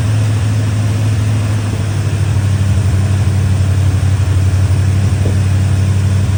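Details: Chevy Square body barn-find truck, 305 (5.0) V8 with automatic, after timing, distributor, carburetor, tune-up and ignition work: smooth, steady V8 idle with even low burble, no stumble or miss; running much better than before.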